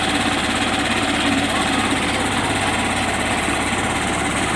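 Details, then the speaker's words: Cold idle of a Yamaha YTX 125 single just after a DIY tune-up and valve clearance adjustment (intake 0.08, exhaust 0.10 per manual); steady even thump with no top-end rattle or ticking, healthy normal idle. "guys maganda ang tunog niya guys"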